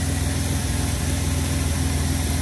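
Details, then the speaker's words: Old, long-neglected car fired right up; steady low rumble with an even, unbroken firing pulse and no knocks or misses. Normal idle. "I can't believe this thing is fired right up. I just can't believe"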